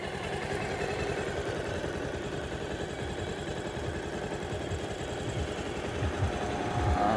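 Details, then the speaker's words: Bajaj Pulsar 220, about 11 years old (bought 2011), 60–62 thousand km, after repair of an engine tick-tick noise (timing chain, scissor gear, clutch kit): even, steady idle pulse, no ticking, knocking or hunting; engine healthy, nothing left to fix. "बस bike की washing बाकी है उनके कम तो हमारा सारा हो गया इसके अंदर कुछ बाकी नहीं है"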